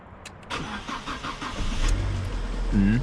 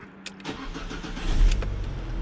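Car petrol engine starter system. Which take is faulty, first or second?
first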